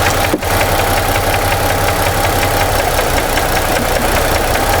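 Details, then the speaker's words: 2017 Ford F-150 3.5 V6 at idle, new phasers and timing chain already fitted without curing noise; faint regular tapping unchanged when unplugging coils, except cylinder 2 unplugged makes the knock double. "The sound changed. I don't know if you guys can hear that. It doubled. I got a double knocking sound when I unplugged 2."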